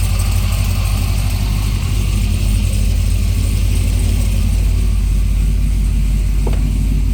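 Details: Supercharged Corvette C6 V8 after restarting, with fuel pressure about 52–56: deep, even idle rumble holding steady with no stumbles or knocks. Normal idle.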